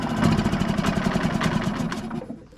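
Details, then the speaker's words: 2006 Suzuki DF2.5 four-stroke outboard that runs reluctantly at idle, sometimes only on choke, stalling on throttle: uneven, lumpy firing pulses that falter and die away; rough idle from dirty carburettor jets, carb to be removed and cleaned. "So I've got this Suzuki 4-stroke DF2.5 and it's got a bit of a problem where it'll run but very reluctantly at idle. Sometimes it'll only run with a bit of choke on, and any throttle given the engine stalls."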